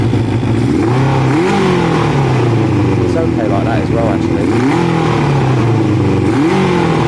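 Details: Kawasaki ZL600 V-twin after fitting pod air filters, throttle response test: crisp blips rise and fall smoothly, no misfire or stumble. It sounds really nice and picks up healthily.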